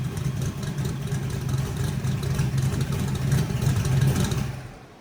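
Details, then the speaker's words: Race car full-load dyno pull on slicks, after a flooded no-start was fixed with a replacement starter: deep heavy V8 roar holding strong and even, dropping away at the end, with slicks starting to spin. Clean, normal, healthy pull. "[Music] so another pretty normal pull you'll hear it go towards the end"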